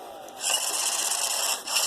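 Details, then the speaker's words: iRobot Roomba 500/600 series in built-in diagnostic mode, vacuum and brush motor test: steady high-pitched even whir without grinding or stutter; all motors working normally. "it's testing all the motors so now all the motors are working fine"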